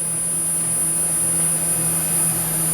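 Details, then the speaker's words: JVC cassette deck recording high-frequency test tones onto old tapes, around the metal-tape test: steady low droning tones with a thin high whistle on top. The bias oscillator is heterodyning (beating) with the incoming signal. "yeah we're just hearing we're hearing the bias oscillator just [Music] heterodining with the signal going in"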